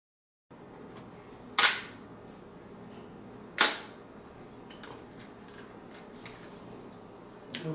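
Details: Mamiya M645 1000s film camera bought for parts, fresh battery fitted, lens on: a crisp open click, then a clean closing click two seconds later. The slow shutter speed times properly and works normally.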